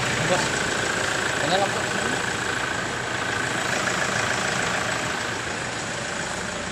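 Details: Toyota Hilux whose no-start, no-aircon and no-power-window fault was traced to a fuse and ground: it starts normally and settles into a steady, even idle with a smooth mid-pitched run and no knocks or misses.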